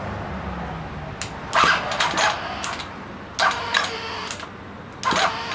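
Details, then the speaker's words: Ryobi two-stroke line trimmer with an electric starter motor and a battery about seven or eight years old: short, sluggish, uneven cranking bursts about two seconds apart, never firing; a weak battery is suspected; slow cranking. "I think I think the batteries lost its gumption she just went ah"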